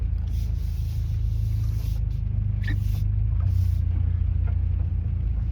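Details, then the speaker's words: Car with newly installed aftermarket Annex rear suspension on test drive: low road rumble with sharp irregular rattles and clacks over bumps; something seems loose, cause unknown. "I mean that much of a rattle seems to indicate otherwise that's insane"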